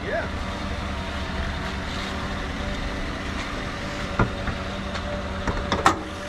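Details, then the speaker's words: 2020 Chevrolet Colorado with V8 swap, after rewiring and tuning with the gas gauge now working: low, even rumble holding steady with a few stray clicks; runs like a normal truck. "it sounds like a normal truck yeah"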